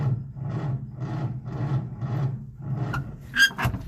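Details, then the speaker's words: Old Nash with a 6-volt system, after fitting a fence post cap in place of a cracked glass fuel-pump sediment bowl: slow, labored, sagging cranking with no firing; crank no start, owner suspects no fuel and needs to prime the carburetor. "Uh-oh. She is out of gas. I don't think this is going to work. I may have to prime the carburetor."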